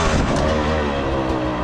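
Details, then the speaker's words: Beta 300 two-stroke with Smart Carb SC2 after richening the clicker 10 clicks: crisp idle sitting a little fast and strong; high idle. "way better okay the idle's a bit High which I find super interesting"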